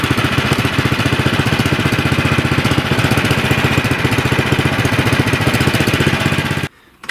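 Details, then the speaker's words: 24-inch Troy-Bilt snowblower that only ran on choke and surged after sitting about 9 months with gas; idle adjusted after the fix. Even, steady putter at a settled idle with no hunting, then the engine is shut off; normal idle. "The idle set good, so I'll put the cover back on."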